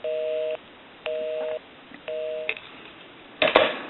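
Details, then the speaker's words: Repaired AE Monophone rotary desk telephone dialing a busy number during final checks: three even tone bursts, about half a second on and off, then a click; normal busy signal, so dialing works. "okay so now what we can do is we can call one other number we'll call my number and it'll be busy"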